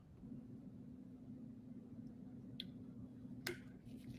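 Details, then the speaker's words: Tailos Rosie robot vacuum roller maintenance: quiet room hum, then one sharp click as the hair mitigation ring snaps over the bearing, showing it is correctly seated and moves freely around the bearing. "fantastic you will hear you will hear this click when it's installed properly I can tell that this is installed properly by uh moving freely around the bearing"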